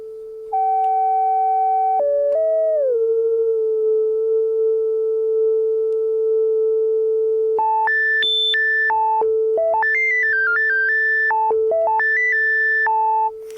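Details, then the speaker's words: 1974 Minimoog after restoration, envelope generators and everything else off, filter set to self-oscillate: a clean, pure tone glides down, holds, then steps crisply between notes with no warble; filter oscillates and tracks properly. "so we got everything turned down here I'll turn down the envelope generators everything's off here we'll make this filter self oscillating"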